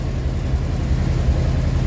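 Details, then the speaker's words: Rolls-Royce Silver Shadow II, sat about 10 years, with twin SU carbs rebuilt and a new fuel pump. A deep, low idle with an uneven throb and periodic stumbles; it sounds not on all cylinders, with less smoke than before. Owner suspects a slight miss and a carb hanging up. "Definitely think there is a little miss. But hey, it's improved, isn't it?"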